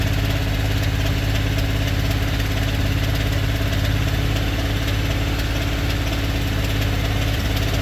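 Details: 2022 Ford F-250, 7.3 engine at 25,000 miles, at idle: a quick, light ticking about three to four per second over the engine note. Owner suspects bad lifters; the cause is unconfirmed.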